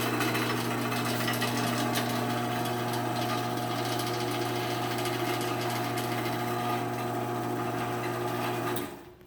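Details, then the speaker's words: Sears chain-drive garage door opener after a new sprocket install, door running down: steady motor drone with light chain clatter, then stop; opener now runs much quieter and smoother. "So yeah, this thing sounds honestly much better."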